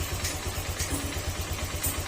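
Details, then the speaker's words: Honda Click 125 V3 scooter, engine already rebuilt but still noisy: quick regular light knocking over a low idle pulse, louder when the engine is hot; attributed to idle set too low and the air-fuel mixture not tuned. Engine knocking at low idle. "parang gumanon parang ano may lagutok ito yung makina at ah lumalakas Ian kapag mainit Iyung makina"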